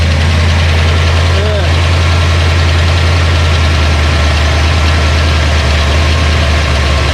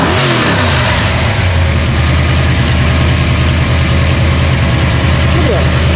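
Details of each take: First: Ford Mustang 302 HO small-block V8 budget build after flooding (stuck carburetor needle and seat, fuel pump left on); now running way more happy: steady, even low idle rumble with regular beat, no ticking, healthy. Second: Ford Mustang 302 HO small-block V8 with sticking carburetor needle and seat that flooded it; recranked after redoing the back: slightly lumpy, sagging idle, puffing black smoke and loading up at idle, running rich; carb needs rebuilding.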